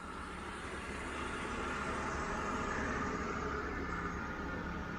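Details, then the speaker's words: 1992 Mercedes 600SEL at idle after an exhaust leak was repaired with replacement clamps, with ignition timing still off: an even, smooth idle with a steady hiss and no ticking or puffing from the pipes. "the idea idea here is that late at night I can start the car and it is quiet just the engine"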